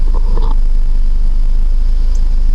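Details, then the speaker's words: Warm four-cylinder (1.9) idling smoothly around 850 rpm after dropped-valve-seat rebuild with new timing belt and valve train, warming to operating temperature before cooling fan kicks on; low steady rumble, no knocks or misses; normal idle. "it sounds good that's what I like temperature is getting up there"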